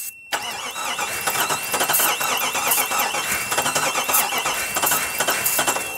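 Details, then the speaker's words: 1998 Jeep Grand Cherokee Limited 5.9 V8, 119,000 miles, abandoned 5 years, good timing, wires and compression: six seconds of even cranking with no firing; trying starting fluid. "be good our timing is good our wires are good and it still doesn't start so we're gonna go ahead uh try the starting fluid one more time"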